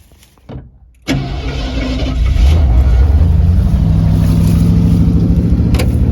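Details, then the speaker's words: 1968 Ford Torino GT V8 muscle car, inspected for purchase, fuel gauge showing half a tank: the starter catches and it fires first try into a strong, steady idle with no misses or knocks; sounds normal. "that sounds good it must have probably Pi up gas must have that sounds pretty good"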